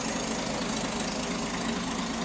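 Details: 1967 Mustang 200 CID inline six, just after new timing chain, cover and crankshaft balancer install, first start: quick puffy ticking at idle tied to engine speed; owner suspects an exhaust leak, not confirmed.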